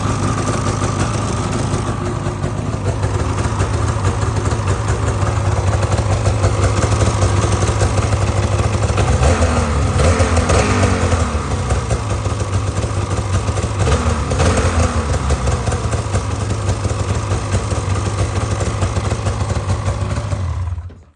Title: 2019 850 Polaris, ticking sound?